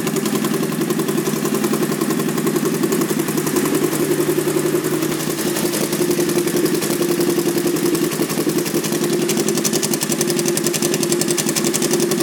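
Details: 2001 Honda VT1100C Sabre V-twin cruiser, just over 22,000 miles, idling: loud, open, lumpy, raspy exhaust; sounds like baffles may have been removed, though pipes look OEM; unconfirmed.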